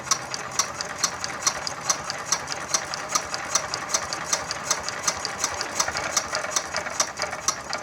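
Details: Yanmar TF115 11.5 hp single-cylinder diesel, freshly rebuilt (new liner, piston, rings, bearings), hard-start repair, hand-cranked before first start. Crisp high squeaky ticks about twice a second: normal injector chatter, pump good.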